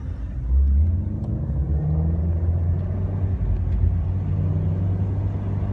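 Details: BMW E30 while driving: deep, heavy rumble with dull thumping from the rear; owner unsure whether wheel bearing, axle, shock mounts, drive shaft or rear differential is the cause; rear thumping noise, cause unconfirmed.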